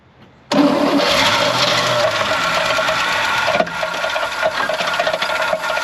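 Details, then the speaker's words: 1970 Chevrolet C20 305 V8, sat 13 years, started on fuel poured in the carb on a 40–45°F day: it catches abruptly, with a loose, uneven metallic rattle under idle; owner suspects a nut rolling in the bell housing. "holy crap guys that started with absolutely no issue whatsoever however it sounds like the squirrels got into the bell housing sounds like there's a one of those a walnut or whatever those are one of these guys rolling around in the bell housing"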